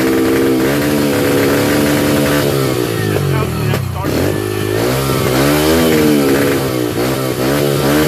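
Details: 2005 Yamaha 125cc dirt bike, just started off a 12-volt marine battery, single-cylinder note surging and sagging, never steady; unstable idle from carburetor out of tune, fixed by turning fuel screw in fully and backing out 2 full turns.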